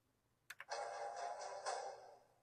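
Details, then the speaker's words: Gears of War special edition Xbox One S, bought as broken from a pawn shop, powering off: soft ticks, then a short clean musical chime fading within two seconds; its normal shutdown sound. "and for the record when you turn it off it also makes a"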